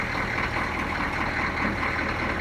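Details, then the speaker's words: Food truck engine started with throttle held slightly open for a little gas, then settling; smooth even idle with steady low rumble, no misses, ticks or knocks; owner says she sounds good. "I was holding the throttle a little bit just to give it a little gas and hold the throttle body open when it goes. All right, she sounds good."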